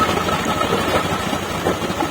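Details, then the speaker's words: 2020 Honda Beat Deluxe scooter after ECU remap (previously stalled when cold or after rain, idle below spec so idling stop failed): even steady idle, no hunting or misses, idle stop now works; normal idle. "Oke delux-nya sudah selesai nih tinggal pengetesan nih stasionernya sekarang stabil"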